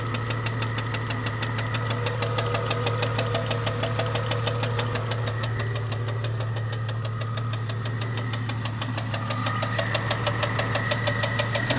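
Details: 1998 Jeep Cherokee XJ 4.0L, noise appeared overnight; lifters replaced with head removed, but the noise persists. Steady low idle with a regular light tick at about three per second tied to engine speed; owner says not rod knock or piston slap. Source undetermined.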